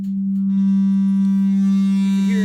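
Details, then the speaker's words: JBL SRX800 series speaker playing a loud ~200 Hz test tone: a harsh buzzing edge comes from loose panel knobs and metal tabs rattling. Pulling the knobs off stops it at that level. "And then as we turn up the volume, you can hear the rattling, these things here. Can't really see it shaking on the phone, but those are what rattles there."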